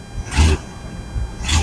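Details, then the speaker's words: 1965 Ford Mustang, mostly original, not run in over 2 years, rough on a driveway run, needing a tune-up: deep V8 rumble with two sharp raspy brappy blats, suspected exhaust leak. "he got an exhaust sleep somewhere she's"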